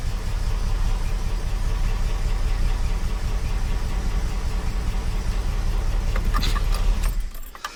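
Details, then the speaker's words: 45-year-old 2.8-litre Vauxhall Royale coupe, totally cold, unrun since the previous day, tuned carburettor fitted: starts readily into deep, steady idle with low, even rumble, no stumbles or misfires before switch-off; normal cold idle. "I have not started this car. That hasn't run since yesterday. This is a so much better engine."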